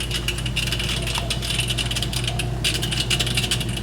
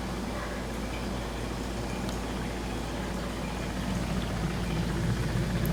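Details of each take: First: GE dishwasher making a racket in drain mode: steady pump hum under a busy, clattering rattle from a hard object caught at the chopper; foreign object in drain chopper. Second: GE dishwasher after repair, reassembled and run for a while, now drains quietly with a soft, steady low hum and no grinding, rattling or knocking; before the repair it made a racket in drain mode, blamed on something in the waste basket.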